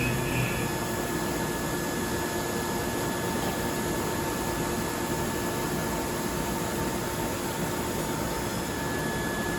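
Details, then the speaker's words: Haas Super Mini CNC mill, carbide end mill cutting with flood coolant after RPM was bumped to 120% and feed to full; steady, even cutting hiss with a faint constant tone, no chatter or squeal, a normal clean cut at the faster feed. "And the reason I'm adjusting this at the machines a little bit is because we're listening to how our machine's cutting, how our tool sounds, and whether or not we can get away with the faster feed."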